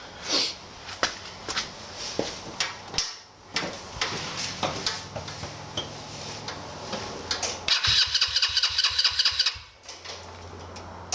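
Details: 150cc GY6 scooter engine just after installing a new clutch, exhaust fitted: starter cranks, the small single catches and settles to a steady, even idle with a brief clean blip; sounds healthy.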